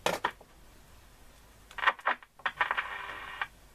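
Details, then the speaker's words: Ever Ready Sky Leader transistor radio under repair: short bursts of hiss, then a steady high whistle near two kilohertz for about a second; one or both IF stages oscillating. "Because as you heard there in the end, what happened was that one of the ISTs, or both of them, are oscillating as well. Amplifiers, when the feedback become oscillators, okay?"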